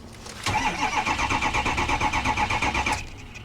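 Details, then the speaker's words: Ex-police Ram 2500 HD, 5.7 Hemi, 357,000 miles, cranked on a booster pack: even starter pulses about three a second for 2.5 seconds, spins but never fires; suspected to have lost its prime. "I don't think this one runs guys check gauges I'm not going to burn up my booster pack on this one truck it probably probably lost its prime"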